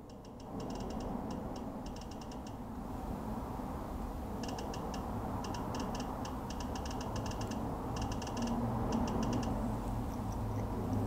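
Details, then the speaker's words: OPTE makeup printer printing over skin; quick bursts of dry ticks about four a second are a feedback click from a small internal speaker, like a Geiger counter, not a mechanical noise. Normal operation. "the clicking is uh not actually a sound it needs to make i'm pretty sure this thing is dead silent it's a little speaker in there that does a little uh clicking sound like a like a geiger counter"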